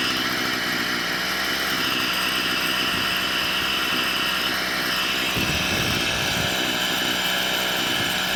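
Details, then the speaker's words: Stihl FS38 two-stroke strimmer during carb tuning: steady, high, buzzy note holding fast where it should drop to slow idle, head spinning; idle screw set too high, about to be knocked down. "I've got the strimer up and running it's iding a bit too fast now because uh the head of the strimmer is spinning so I'm just going to knock that down a touch"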